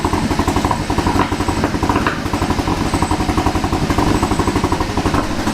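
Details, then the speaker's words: Kia Ceed GT (pro_cee'd GT) with long-standing cold-start misfire, shortly after starting: lumpy stumbling idle, uneven beat about two pulses a second with dropouts, engine light flashing, strong rotten-egg smell; worst misfire yet, catalytic converter suspected. "it's misfiring loads but way worse than it's ever done it before"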